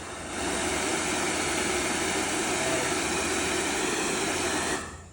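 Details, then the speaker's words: Secondhand hair dryer that initially would not switch on, reassembled after repair, tested before the cover is closed: even, steady rushing airflow with smooth motor hum, no rattles or cutting out; runs healthy. "இப்ப நம்ம ஃபுல்லா cover பண்றதுக்கு முன்னாடி இது work ஆகுதா அப்படிங்கறத வந்து பாத்துருவோம். ஓகே நல்லாவே வந்து ஒர்க் ஆகுது."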